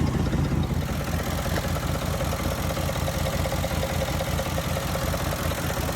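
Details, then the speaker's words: 2005 Mercury Grand Marquis 4.6 modular V8 at idle before repair: loose, busy clatter and knocking with a faint weird chirp over the rumble from timing chain rattle, traced to failed timing chain tensioners; rod knock ruled out; front cover removal required. "Timing chain rattle is gone. No more noise left. And you would absolutely hear it right now. You would hear the knocking sound. You'd hear that weird chirping sound."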